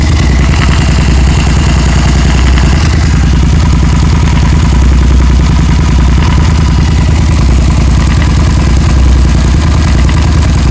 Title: SV650 engine ticking sound